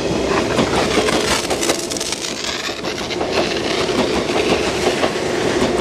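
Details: JR 189 series N102 EMU passing Kamuriki station over frost-covered tracks in April 2017: loud, irregular sharp crackling over the wheel clatter, like arcing at the pantograph on a frosty wire; cause suspected, not confirmed.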